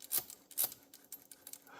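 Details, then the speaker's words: Manual typewriter carriage (e.g. Olivetti Lettera 22, Smith-Corona): short metallic rasps as the carriage moves, the rack tilted and grinding on the pinion near an end, indicating the margin bar or margin release not releasing the rack properly. "you can have it moving so that one side moves further down than the other and that can cause as you get to one end or the other the the character turn to start kind of grinding on the pinion"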